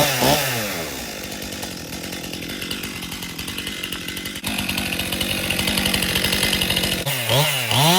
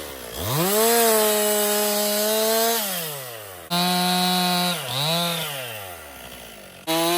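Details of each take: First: 2018 Stihl MS261 M-Tronic chainsaw used for construction, owner complaint hard starting and bogging when hot; test cut in 95° heat: saw revs hard, bogs and chews slowly with rough strained buzz, won't pull through wood. Chain too dull; dull chain may be overheating it. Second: 2018 Stihl MS261 M-Tronic chainsaw, construction use, complaint of hard starting and bogging when hot; with a swapped bar and chain it revs to a clean steady high pitch through the cut, recovering smoothly with no stumble; no problem reproduced yet.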